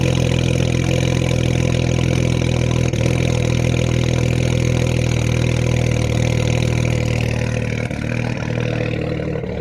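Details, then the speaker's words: BMW 335i E92 twin-turbo with upgraded turbos, first start after engine reinstall, smells rich: rough idle with uneven stumbling beat and wandering revs; cylinder one misfire logged, no check engine light, owner suspects spark plug gap. "i got a misfire in cylinder one so i think i may need to re-gap my spark plugs but no check engine lights"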